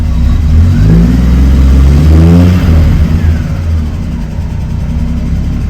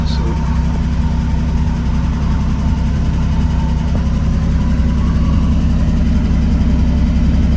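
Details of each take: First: Triumph TR6 six-cylinder after a final EFI kit install, warm start in neutral (idles a little low when cold): blips smoothly and settles to a steady tickover with no misfire; healthy revving. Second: Triumph TR6 with new EFI kit, warm start, transmission in neutral, fuel pump audible: steady low burble at a slightly soft idle that sits a touch low and should creep up.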